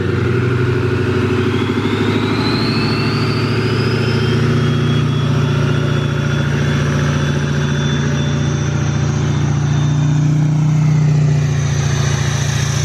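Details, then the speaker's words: Duramax LML diesel with a new long block, held at a 2,000 rpm fast idle outdoors for a 5-minute break-in: even drone with a faint turbo whistle and no knocks or misses, and no major leaks. Normal fast idle. "So, that is what we're doing now. Uh, it does sound healthy so far. I don't see any massive puddles on the ground."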